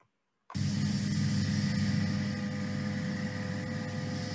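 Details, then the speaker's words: Milling a lightweight tube structure monitored by a chatter sound sensor: after a brief silence, a steady even low cutting rumble with no high squeal; sound pressure about 0.05 Pa versus 35 Pa during 5,800 Hz tool chatter; stable cutting. "Okay, in this case, you can see the sound pressure is very low compared to the chatter sound pressure. Here is 35 Pascal compared to 0.05 Pascal."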